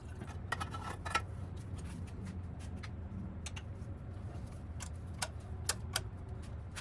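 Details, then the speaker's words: Harbor Freight Predator 1in water pump, 79cc small engine, after carburetor cleaning and reassembly; starts after a few pulls to prime, steady low even drone with light clicks, no misfire or knock, runs like a champion. "Alright, a few pulls to prime the system and she runs like a champion."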